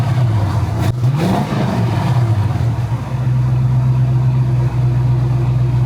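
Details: 1971 Pontiac Firebird V8 after distributor work with a Pertronix points-conversion kit, carburetor already done: revs up cleanly and drops back, then holds a smooth steady low idle with no misses or stumbles; running right.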